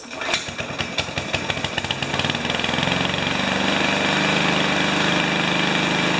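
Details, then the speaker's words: Remington mower with Powermore engine: heavy, uneven knocks about twice a second as it fires, then rough rattling run; owner suspects previous owner hit something hard, flywheel key didn't shear, and internal engine damage resulted. "so i think they the previous owner hit something hard and the flywheel did not pop the fly lower key and uh something's damaged on the inside of the motor"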